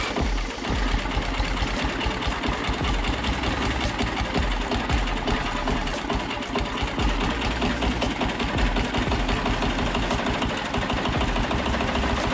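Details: Old 2-cylinder diesel, believed Cummins, off a generator, on a sawmill; sat 6–8 months. Rough, loud clattering beat with heavy low thump, running steadily after start; normal.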